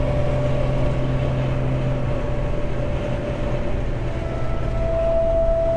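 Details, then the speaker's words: Jeep TJ with a roof/windshield-mounted light bar: a thin buzzing tone over steady road rumble at cruising speed that swells louder; wind hum from the light bar. "you guys heard a whole bunch of different uh tones and noises it usually has that that really annoying like mosquito buzzing noise constantly when you're on the highway at speed"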